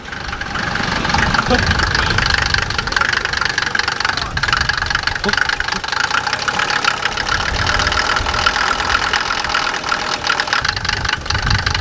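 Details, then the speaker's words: Mercedes diesel being straight piped, smoking and burning a lot of oil: loud rough run with a hard knock keeping time with the engine; knocking, source unknown. "that not sound you show her to be kind of fun like not it sounds like knocking hit something knock probably"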